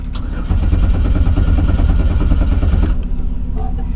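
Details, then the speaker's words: Pontiac Fiero GT being rebuilt, started after mechanic's work and a battery change: starter catches within half a second, steady even low rumble with no misses or knocks; sounds good, might need other work. "They got it to start. It sounds good. Might need some other stuff worked on."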